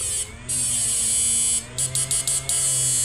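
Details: Samus 988M Plus ultrasonic PDC inverter after PWM driver modification, 1000 W load lit brightly, battery dropping low: steady high buzz over low hum, cutting in and out in short bursts; quiet yet strong, normal under load.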